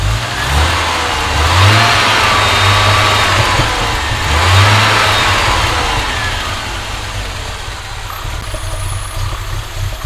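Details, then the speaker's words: Audi 2.2 with Bosch K-Jetronic, new old-stock Bosch injectors fitted, revs turned down by screwdriver: fast idle surging and settling with uneven burbly popping; owner suspects over-fueling, plans leaning mixture screw and adjusting idle screw and sensor plate. "maybe lean off the mixture because it was popping and buying quite a bit which is usually sort of over fueling"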